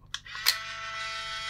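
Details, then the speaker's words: Fujifilm Instax camera, no film loaded: a couple of switch clicks, then a steady high thin whine of the flash charging as soon as it's turned on; flash charging normally, camera probably works. "you can hear the flash soon as you turn that on the flash you can hit you know like the charging noise of The Flash"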